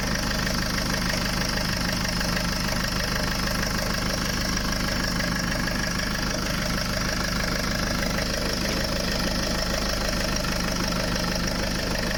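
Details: Land Rover diesel idling after cambelt, water pump, power steering pump and turbo hose replacement, being bled; even, steady clatter with no misses, squeals or hose hiss. Normal idle.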